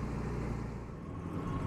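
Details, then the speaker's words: Jaguar XJ6 Series 3 idling about three minutes after start, not yet warm: uneven, lumpy idle that keeps dropping, with the engine visibly shaking. Misfire; owner reports it nearly stalls at lights, and ignition is suspected. "it's been about three minutes as you can clearly hear it's misfiring are running rough hasn't gone up the temperature yet but the Idol's coming down and dude it's missing and you can clearly see now the whole engine is shaking"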